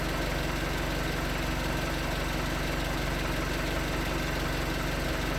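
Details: 2019 Hyundai Tucson 2.0L GDI Nu, 24,000 miles, on Mobil1 5W-20 with a NAPA filter under 1,500 miles old: steady, even knock a couple of times a second at cold idle. Owner suspects piston slap, not confirmed; switching to 5W-30 only slightly improved it.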